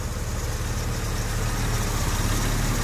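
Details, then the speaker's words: Jaguar 4.2-litre six with new electronic ignition, warm idle settling from about 750 to 650 rpm, its correct idle speed (higher makes it clunk into gear). A smooth, even low burble with no ticks, knocks or misses; idling healthily. "Oh yeah, she's running so nice. Yeah, we're about 650 RPM now, so that's about where she needs to be."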